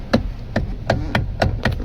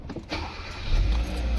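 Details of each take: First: Kia Cerato electric power steering: sharp dry knocks about three a second over a quiet background, from the steering assist motor; swapping a part didn't help, motor was opened and repaired, leaving steering silent. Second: Kia Cerato after the electric power steering motor was removed, opened and refitted to cure a steering noise: engine starts and settles into a low steady hum with no whine, groan or clunk from the steering; now silent.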